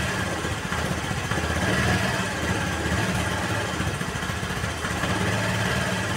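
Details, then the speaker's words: Honda Vario 110 (KVB) carburetted scooter that had a hunting, unstable idle, after adjusting the left carburetor air screw (reference about 2.5 turns); choke also faulty: small single putters at an even, steady idle without hunting or stumbling, idle now stable. "tuh ya perhatikan dia langsamnya lebih stabil kan ya langsamnya lebih stabil karena dari setelan yang di sini itu belum gak pas"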